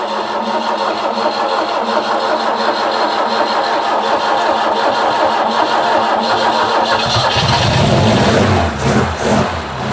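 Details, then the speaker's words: Mk1 Ford Capri 2.0 Pinto carbureted engine, first start with fuel poured into the carb, testing timing: brief crank, catches, settles into steady even idle with crisp exhaust note; normal first start. "And that, ladies and gentlemen, is why I love Pintos. Listen to that. Absolutely beautiful."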